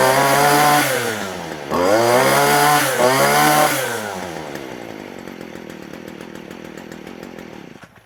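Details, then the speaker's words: Stihl FS40 two-stroke trimmer that lacked power, after cleaning the clogged spark arrestor screen, air filter still out: crisp snaps to full revs twice, holds clean and strong, winds down smoothly; high rpm restored, normal. "But our throttle is back, we have high RPM."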